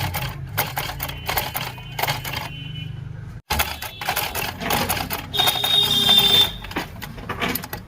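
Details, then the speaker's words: Bajaj household sewing machine stitching through about eight layers of cloth after a home repair for bad upper stitching and puckering cloth. Its rattling needle strokes run in steady bursts, and both the upper and lower stitches are now correct. "नीचे की सिलाई बिल्कुल सही दे रही है। ऊपर की सिलाई भी एकदम चकाचक दे रही है।"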